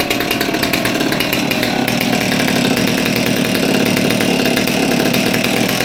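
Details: Old Stihl MS200T top-handle two-stroke chainsaw that idled fine but wouldn't rev, after teardown and fuel line replacement (suspected cause): screams at high, steady revs with no bogging or cutting out; running clean and strong.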